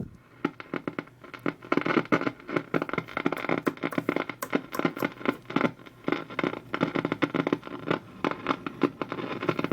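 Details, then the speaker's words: Vintage RCA radio powered up slowly on a variac through isolation at about 93 volts and 0.19 amps; irregular pops and crackles in bursts with no stations received, even around local 1390. "definitely no stations just the crackling and the popping"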